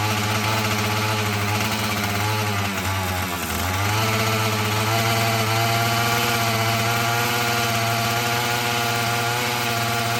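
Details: Husqvarna 445 chainsaw that had bogged when throttled, after cleaning and tune-up: a steady, buzzy two-stroke idle with one brief dip that recovers cleanly, then holds even; it runs well, though the carburetor diaphragm may need later adjustment.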